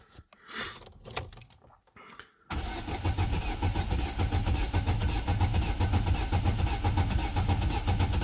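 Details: Vauxhall Astra H 1.6 replacement engine, first cold start attempt, out of gear: starter cranks evenly at about two beats a second with steady compression, no firing; sounds healthy though oil light stays on.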